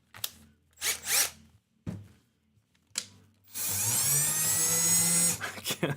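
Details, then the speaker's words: Drill driving a buffing wheel for waxing a guitar fretboard: rough whirring grind and a climbing whine for two seconds; the owner thinks the drill's gears just failed, not confirmed. "I don't know if you can hear that grinding but um that's the gears of my drill I think it just just went on me"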